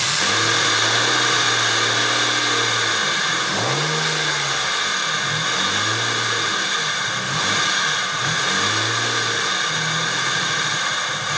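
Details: 1998 Ford Contour SVT petrol engine revved up and down: loud, rough, hissing grind from a worn idler pulley bearing. Finding: idler pulley grinding.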